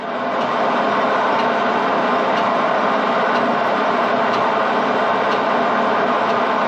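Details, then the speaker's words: Lathe machining a part for an 8 HP Mogul engine; steady cutting hiss with a sharp tick about once a second, interrupted cut from dissimilar metals, normal. "So it was kind of an interrupted cut even when it was cutting continuous because of the dissimilar metals. So just a really hard part to do."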